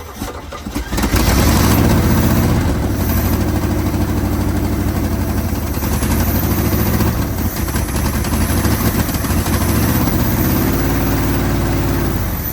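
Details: 1980 Chevy Sierra Grande K1500 truck, sat 22 years, start after new distributor, belts tensioned and fan installed: catches and settles into a steady, even low-rumble idle, no knocks or misses; runs healthy.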